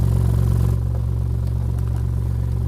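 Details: 15-inch NVX VCW dual-voice-coil subwoofer, previously bottomed out hard, makes rapid regular clicking locked to a steady deep low tone; no visible tears, cracks or separated joints in the basket.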